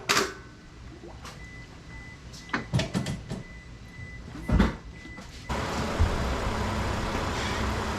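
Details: 2006 Scion tC 5-speed manual, after head pulled for low compression and valve stem seal replacement and reassembly: after knocks and handling noise, engine settles into steady, even hum with no tapping; coolant bled, at operating temperature, idling cleanly.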